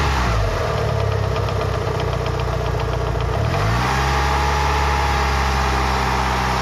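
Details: Lancer Evolution VI 4G63T after a track day, at 75-80°C oil temp during warm-up: fast uneven ticking three to four a second, fading after a blip, loudest near cylinder one; silent cold, quieter warm; lash adjusters bled without improvement; top-end tick.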